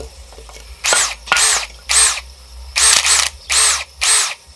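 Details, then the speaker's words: New AEG BSB18BL-0 brushless 18V drill, no-load runs: high whirring bursts with a rough rattle, as if something smacks inside, not always steady in speed; owner suspects backlash in the gearbox, unconfirmed. "so far so good that noise noises are a bit concerning but um i don't know it's like has got that much power that it just sort of doesn't do the speed line not always in speed too it's almost like something's smacking away inside it isn't it"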